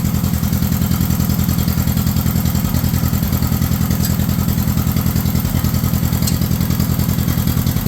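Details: 1953 John Deere 40 tractor running choked in neutral to test the rebuilt hydraulic pump by lifting the three-point hitch; firm low thumping at about 207 beats a minute but lumpy and uneven. Owner attributes the rough running to a carburetor needing a rebuild.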